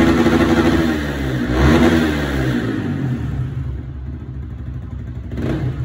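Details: 2017 Yamaha R15 that started but stumbled and would not rev, now blipping up cleanly and settling to a steady idle after the fuel system was cleaned and refuelled; normal revving.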